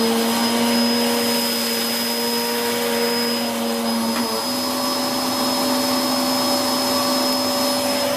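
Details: Hoover Whirlwind Pet WHS2102 001 2100W bagless upright pushed over carpet, belt refitted: constant shrill motor tone and smooth airflow roar with a brief pitch shift as it is pushed, no rattles. The aggressive brush roll makes it noisy; running normally.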